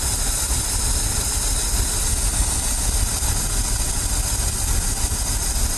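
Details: Ford F350 dump truck, carbureted, first start after new belts: uneven, lumpy, stumbling low idle with no steady rhythm; carburetor running rich and fuel trying to boil over, owner expects to pull the carb apart; idling really rough.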